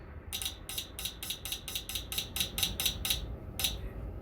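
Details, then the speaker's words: LPG taxi after replacing the leaking cylinder 4 injector, listened near the throttle body with power on: crisp, evenly spaced ticks about four a second then a lone last tick; injector opening and closing normally. "Clap clap, clap. You can hear it clearly, right Shall we check this again This is normal, too"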